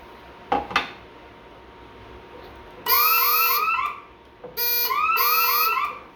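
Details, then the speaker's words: Bosch Radionics 4012/8012 alarm panel on a demo setup with a smoke zone tripped: a couple of relay clicks as the siren relay cycles, then a high warbling fire tone in two long bursts, a smoke-zone fire alarm. "this will be a warble tone, um, which will be fire."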